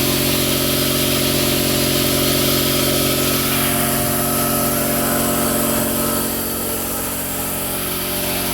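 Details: Newly installed Quincy 5hp two-stage air compressor, recorded right next to it: loud, steady motor drone with an even pumping beat a bit under three per second, smooth throughout; running normally.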